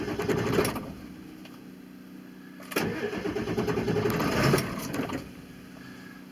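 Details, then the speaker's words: 2000 Ford F-350 with a 7.3 Power Stroke diesel: it catches and runs briefly, then stalls, twice in a row, a symptom that stopped only on the 1200 rpm high idle setting; blamed on a faulty injection pressure regulator and sensor. "and die okay this is what i was doing it's one of the symptoms where she'll start and die"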